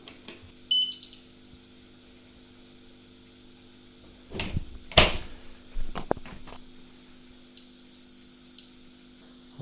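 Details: Whirlpool 6th Sense WIC3C26P dishwasher showing fault H: a chime, several relay clicks, then a long high beep. This is a no-flow fault caused by a failed flow meter with a reed switch.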